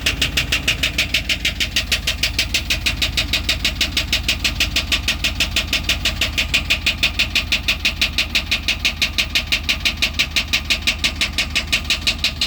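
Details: Truck at idle: sharp, even tick about three times a second over the engine; owner wonders whether it comes from the catalytic converter; cause unclear, could be exhaust or valvetrain.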